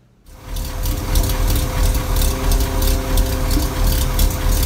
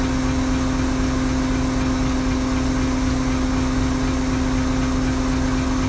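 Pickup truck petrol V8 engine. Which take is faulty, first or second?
first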